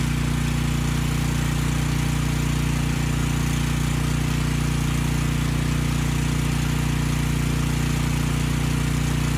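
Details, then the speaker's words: Briggs & Stratton Storm Responder generator (engine 21T212-0116-G1), formerly stuck at TDC with fuel-flooded crankcase, first run with governor spring tension backed off: a single cylinder thumping at a slow, very even beat with no rattles. Normal running at low governed speed. "the engine is going to be slow i backed off the spring tension i may not bring that speed up now"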